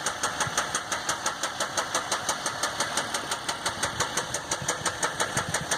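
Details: 2015 Dodge EcoDiesel, 18k miles, before second oil change: sharp even metallic knock about three per second at idle; no check engine light, normal gauges and oil pressure, but truck has no power and shakes heavily; cause undiagnosed.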